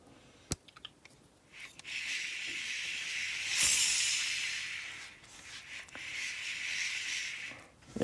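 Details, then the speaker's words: Shimano Exsence DC baitcasting reel after an old backlash, spool spun by force with 30 g: smooth airy hiss but the usual DC brake whine is barely audible; brakes still functional; Shimano service found nothing; DC module replacement planned. "as you see it's really hard to hear the dc sound if you watch one of my earlier videos you can hear the dc sound very easily"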